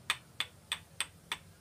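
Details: Engine crankshaft rocked by hand: sharp metallic clicks, about three a second, from worn crank bearing play; the crank should be silent with no such play.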